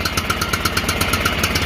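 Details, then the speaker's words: John Deere L108 lawn tractor, revived after sitting about a year, at high throttle: firing pulses about eight a second, uneven and choked; throttle was stuck, and it ran strong once it freed. "Going have to let it run a while. Sounds kind of shitty. there. There we go. Damn throttle was stuck, bastard."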